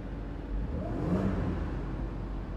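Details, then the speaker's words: Audi Q7 after fixing a cylinder 4-5-6 misfire by replacing the faulty ignition coil, supercharger reinstalled: engine revs up smoothly and settles back evenly, no stumble, misfire or check-engine blinking; running healthy. "Umaandar na siya ng maayos. Wala na siyang enginefire. Ayan. Okay. Maganda ng andar niya."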